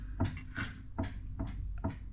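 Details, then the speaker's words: Dodge Magnum Scat Pack rear differential on a lift, rocked by hand: hollow clunks about every half second with lots of free play before each hit. Oil is leaking down one side from a possible crack; there is excessive backlash versus a tighter Scat Pack differential. "it has a lot of backlash it looks like it might have a crack right through here you can see all the oil that is coming down this whole side of the differential and it just has a lot of backlash"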